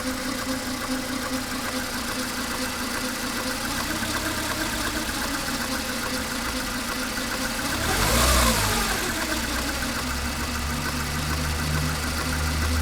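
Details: Mercedes A140 (W168), 2002, 133,000 km, idling with a light, fast rattling tick that swells briefly with a small rev. A mechanic suspects the timing chain or its tensioner; not confirmed.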